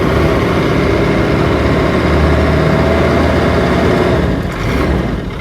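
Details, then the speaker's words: 2003 Freightliner (Sprinter) diesel van with glow plugs, just started: steady even low idle rumble, no knocks, ticks or misses, not too noisy, little smoke; engine light likely a transmission code; normal idle. "Yeah, I mean, it already started it, so, but it's, doesn't smoke too bad, not too noisy."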